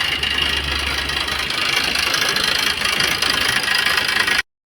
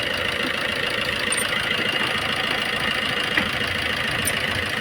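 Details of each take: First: Maruti Suzuki Swift diesel, about 154,000 km, idling: loud, busy, uneven metallic clatter, suspected timing chain kit noise; belt removed to rule it out, rocker versus timing noise to be checked on opening the engine. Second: Maruti Suzuki Swift diesel at about 154,000 km, after replacing the complete timing kit that caused heavy knocking: now an even idle with steady diesel clatter and no knock.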